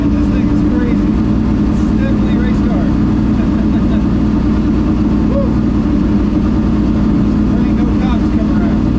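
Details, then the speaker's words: Ford Thunderbird NASCAR stock car (Hooters) on test drive after reinstalling the starter and re-gasketing/tightening the headers: loud constant deep V8 roar under load, steady with no stumbles or misfires; normal running, plenty of power. "uh yeah that was cool the car runs great plenty of power"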